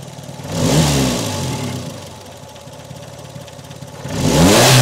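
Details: Peugeot 405 1.9L GRX4 petrol engine before carburettor adjustment: revved twice, then sags to an unsteady, hunting idle that never settles. Rough running, carburettor out of adjustment.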